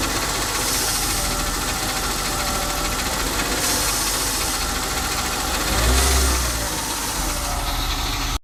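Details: BMW E36 with M52B20 petrol engine idling cold with a loose, uneven rattle that quickens and swells as revs rise; the rattle fades or disappears once the engine is warm.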